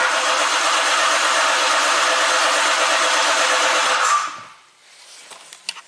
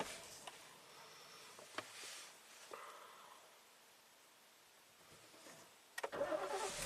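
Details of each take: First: 2017 Ford Explorer V6, intermittent bank 1 (cylinders 1–3) misfire, now crank no-start; steady even cranking about three turns a second, never catches; starter sound seemed off, relative compression test next. Cause suspected, not confirmed. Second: 2017 Ford Explorer V6, 106,000 miles, after intermittent misfire and surging idle (suspected sticky oil control solenoids): engine fires up and settles to dead smooth steady idle, no hunting or surging; seems fixed.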